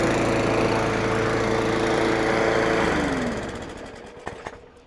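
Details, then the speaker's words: Craftsman 917.388834 push mower, Briggs & Stratton Classic flathead, after carburetor work and priming, possibly wrong OHV-type spark plug: runs good, smooth and even for three seconds, then spins down cleanly when shut off. "Runs good."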